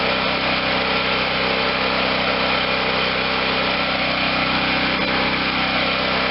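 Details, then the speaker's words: Garage-sale Wen 4050 generator with new carburetor, auxiliary tank feeding the carb, running without load; smooth, constant high-pitched hum with no surging or misses, engine speed a little high and needing turning down, otherwise sounds like new. "we're still just a little high on the on the speed by the way that he feels good i have to turn the engine speed down some okay so we got an engine that sounds like a brand new one runs smoothly no surging even under no load"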